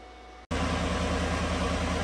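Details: 2017 GM truck 5.3 V8 with a dealer-diagnosed collapsed lifter, after replacing a bent pushrod and electronically deleting AFM. After a click it starts and settles into a smooth, even idle with no tapping and runs healthy.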